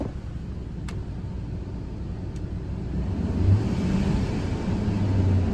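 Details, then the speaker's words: 2005 Ford F-150 Lariat 5.4L Triton, after a new serpentine belt, tensioner and idler pulley for an engine whine: engine rumbles low and picks up smoothly when revved, with no whine or squeal; the belt drive is quiet. "Not a noise. Beautiful."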